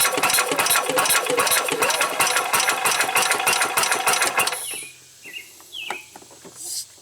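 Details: 1990 Club Car golf cart gas engine on larger deep-cycle battery, no spark from new coil: fast, even cranking about three turns a second for four seconds, never firing; cranks, won't start.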